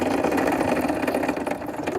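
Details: Pentair Legend pool sweeper, turbine shaft spun by hand before bearing replacement: a fast dry rattle that slows and fades as the shaft spins down; worn, loose turbine shaft bearings.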